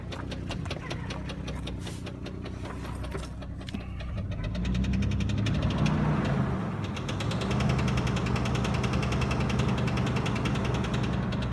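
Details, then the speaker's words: 1999 Jeep Grand Cherokee, 236,000 miles, with a loud engine tick of about three to four per second that grows louder and more popping on acceleration, like a tin can in bike spokes. It has a known exhaust leak and codes P0442, P0455, P1494; cause unknown. "on acceleration it basically sounds like got a tin can between spok to the bike wheel um it gets louder and louder and more more poppier um as you gas is up"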